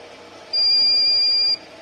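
A single steady high beep lasting about one second, then quiet: the purifier's control board is signalling an error.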